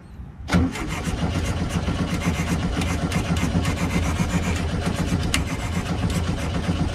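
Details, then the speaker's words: 1968 VW Bus just after carburetor reinstall: steady, uneven cranking for about seven seconds without catching; crank no start, suspected fuel starvation from a misbehaving float or faulty accelerator pump. "I'm wondering if you're getting enough goddamn fuel to it. I really think that float is not acting right because of that damn thing."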